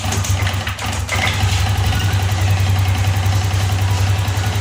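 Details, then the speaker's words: Yamaha Lexi after repair of broken ignition coil wire (rejoined, coil sits low and corrodes from dirt): engine starts with brief catch and settles into steady, even idle with no misfires; running fine. "Oke teman-teman, motor di sini sudah menyala."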